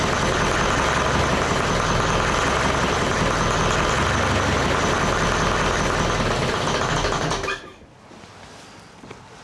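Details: Leyland 154 tractor diesel, not warmed up, injection pump leaking diesel: fast regular clatter then dies abruptly after about eight seconds; won't hold idle, owner suspects pump leak, oil pressure good.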